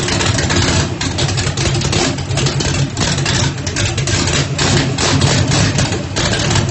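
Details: Ford Mustang, 1800 hp turbocharged small-block Chevy on methanol, first start after rebuild, brake-clean shot to prime: deep choppy idle surging and dipping about once a second from Lil John cam, otherwise steady; sounds healthy, normal idle with lumpy cam lope.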